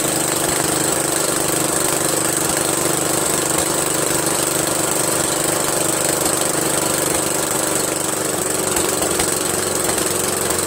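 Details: Briggs & Stratton 13hp flathead engine repowering an MTD Cub Cadet lawn tractor, first run after carburetor replacement; steady busy drone without surging or stumbling; runs smoothly, owner pretty impressed.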